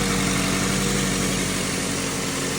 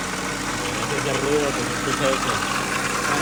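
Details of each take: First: 2003 Ford Focus after replacing the noisy failed water pump: steady, even idle with smooth low hum and no knocks, ticks or whine; engine sounds healthy after repair. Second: 2003 Ford Focus engine idling with uneven scraping, chirping noise riding over it; with the belt off it points to a worn-out water pump.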